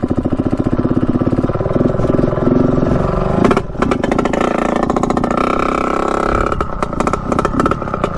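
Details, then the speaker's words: 1989 Yamaha YSR 50 two-stroke, long unused and bump-started, in gear at full throttle: it screams but stumbles and drops out near the top twice; it is breaking up at high revs, cause unknown. "they're gonna be hearing a break up in the top and when you give it full Rev and just listen for it it's it's a very weird sound that happens"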